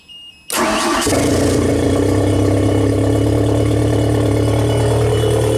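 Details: 1992 Genie boom lift on platform controls after wiring fixes: quick start catching at once, then steady even idle without stumbling or stalling; previous start-run-stall in platform mode now runs properly.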